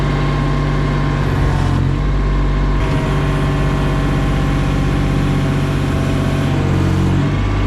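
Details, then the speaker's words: Case CX28 mini digger after hydraulic pump overhaul, pressure test reaching about 1,000 PSI, still low: diesel drones, briefly bogs under hydraulic load as spool-block pressure relief valve blows off; may need adjusting up. "I can hear the pressure relief valve going in the spool block so it maybe just needs nip down a we bit to adjust the pressure back up"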